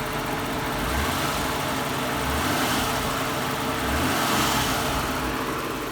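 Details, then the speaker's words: Mitsubishi 3000GT non-VR4 engine running: steady even humming purr, smooth rise under throttle, no knocks or ticks, quiet exhaust with no smoke; healthy normal engine rev. "very nice sound and most importantly if you take a look in the back look at the exhaust no smoke at all beautiful you can't smell any smoke this exhaust system is working wonderfully nice and quiet you can hear a nice humming it's not annoyingly loud"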